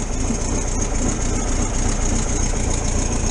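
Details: 1973 VW T2 camper, freshly started cold after carburettor jets were unblocked and adjusted: deep, slightly uneven thrumming idle at a raised, steady pace on choke. Owner suspects a small exhaust leak.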